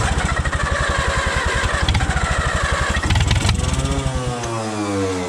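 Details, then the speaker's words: Allis-Chalmers WD tractor after a carburetor rebuild, with good magneto spark and 30 psi oil pressure while cranking: even cranking, then a brief ragged firing burst on ether that fades away. Fuel starvation from a plugged fuel hose. "Ether's helping. Keep her going. It ain't sucking gas."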